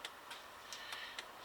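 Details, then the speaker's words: Chinese diesel heater on a homemade controller, first test, battery charger switched off: faint, uneven ticks with very long on-pulses from the dosing pump. The pulse generator is suspected. Irregular dosing pump pulsing. "something horribly uh wrong with the way that pump is dosing pump is pumped in if I switch off a battery charger you can probably hear it better you can hear that very long on pulses which is not what we were looking for"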